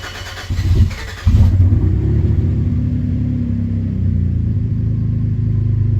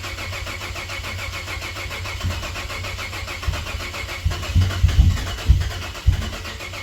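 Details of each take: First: Cadillac ATS-V engine swapped into a 2013 ATS 2.0T, restarted after earlier no-starts, oil pressure showing: catches in about a second, then smooth, even, quiet idle with no ticks or knocks, like a brand new motor. Normal idle. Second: Cadillac ATS-V engine swapped into a 2013 ATS 2.0T, battery down to maybe two volts: long uneven cranking about two beats a second, sagging and stopping dead. Crank no start; owner blames air in the direct-injection fuel system.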